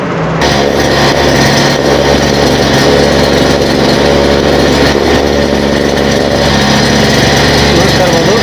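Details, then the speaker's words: Brush cutter (40/60/80-tooth blade), test run after fitting the teeth blade with both grills seated and the reverse-thread nut tightened. Loud, steady high-revving two-stroke buzz with no shudder or wobble; blade runs true, ready for cutting, normal running. "Ready ಆಗಿದೆ ನೋಡ್ತಾ ಇರಬಹುದು ಕಟಿಂಗ್ಸ್ಗೆ ready ಆಗಿದೆ use ಮಾಡಬಹುದು"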